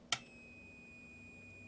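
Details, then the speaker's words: LED ceiling fixture driver with delayed turn-on after sitting off for hours, baked resistor visible: click at power-on then a thin steady high whine while the light fails to start; electrolytic capacitor being measured. "whining but will it turn on it's not starting and just here like a wine"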